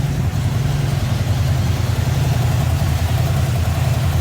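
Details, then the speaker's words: 1954 Ford F-100, started after sitting a while, just off the choke: steady, deep, even idle with a low throb and nothing rapping over it; runs great. "so well there you go so now we all know she runs great"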